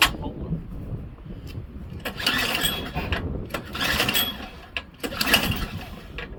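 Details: Craftsman Series 2 snowblower bought at auction, choked: repeated pull-cord bursts spin the engine but it never catches or fires; no-start.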